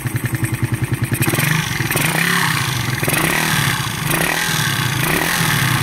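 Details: Secondhand motorcycle another shop said needed a bottom-end overhaul, quiet at idle per owner: fast clattering tick over uneven revving, sharpening with revs; worn cam and tappets rather than bottom end.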